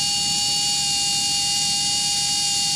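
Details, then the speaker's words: Used brushless RC motor on a SkyRC motor analyzer, revving at half throttle with RPM jumping and then stabilizing. A loud, steady high-pitched whine with a rough hiss; the bearing is failing. "it's stabilizing here, but that's noisy as hell. Slowly increasing."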